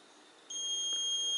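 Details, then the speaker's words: Lawn tractor operator presence relay bench test, meter across top and middle terminals: quiet, then a steady high continuity tone; contacts closed, relay good. "we touch this top terminal and the middle terminal, we have a connection. That's a good sign."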